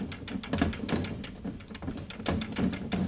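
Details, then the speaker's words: Toyota A340 automatic transmission rebuild: light irregular metallic clicks, a few per second, as the drum is rotated down into the direct clutches after fitting the Torrington bearing; clicking means it is seated correctly. "Hear that nice clicking sound. You know you have it in right."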